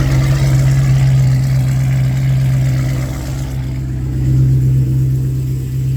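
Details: Dodge SRT8 6.1 V8, new billet thermostat housing, just after a cold start following weeks sitting in snow: deep, smooth, even burble with no knock; the owner notes no power steering pump whine. Normal cold-start idle.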